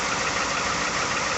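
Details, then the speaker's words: 2018 Ford F-150 3rd-gen 5.0 V8, about 108,000 miles, original engine and transmission, maintenance only: cold start and idle after sitting outside a couple hours at about 37°F. A quick, steady ticking knock rides over the engine, some days louder; cause undetermined. "2018 f-150 100 i think 8 000 miles cold start it's been sitting outside for a couple hours and i think it's like 37 degrees we're in pennsylvania in december still got the same knock honestly"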